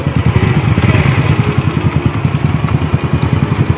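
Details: Honda Wave 100 reported noisy by owner, idling for check-up: uneven clattery ticking about three pulses a second; abnormal engine noise, cause not yet found.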